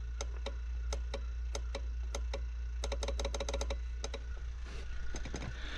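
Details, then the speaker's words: 1998 Jeep Cherokee XJ: sharp horn relay clicks, some in quick bursts, with each horn press but no horn tone; wiring and power are good up to the relay, so the horns or the wiring after it are suspected. "regarding the horn I don't know if you can hear that relay clicking"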